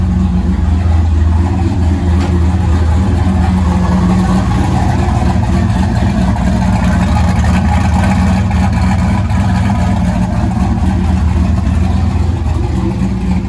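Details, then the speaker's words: Turbo LS V8 with Holley EFI on E85 in a BMW M3, after trimming idle fuel; deep steady idle with even lope, no misfires or hunting, reading 14.5–14.7 AFR, typical for E85; clean idle. "just a tiny bit, and we're looking pretty good. 14.5, 14.7, that's about pretty typical for E85."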